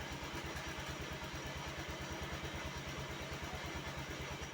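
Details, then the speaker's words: Honda Activa 110cc BS6 scooter, seat removed, slightly accelerated: steady metallic clatter about three beats a second over the engine from a loose metal rod vibrating; fixed by pulling, rotating and locking the rod. "तो friends यह जो आवाज आ रही है वह आ रही है इस मेटल की रॉड से यह"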